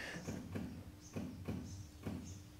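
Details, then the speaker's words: 1950 Land Rover Series 1 80-inch, rebuilt, live cold start with a bit of choke: soft even ticks about twice a second over a faint hum as the electric fuel pump primes normally; starts first time. "can hear the fuel pump ticking a little bit right a bit of choke lovely"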